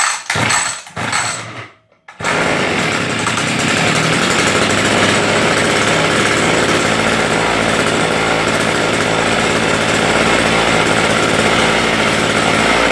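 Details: Homelite two-stroke rototiller after fixing a no-start with primer bulb not filling: after a brief pause it settles into a steady, even buzzing run with no misses or knocks.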